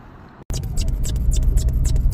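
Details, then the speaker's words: 1985 Pontiac Parisienne Brougham, GM small-block, at idle after a battery replacement: a constant, high, bird-like chirping squeak rides over the engine, source not yet found. Chirping squeak. "Sounds like budgies or parakeets are stuck in there."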